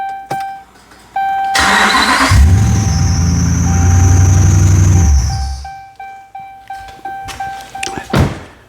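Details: 2012 Ram 2500HD 5.7 V8 after fixing crank-no-start P0685 (TIPM ASD relay control bypass wire): brief crank, catches and settles to steady idle; a probable exhaust leak is also mentioned.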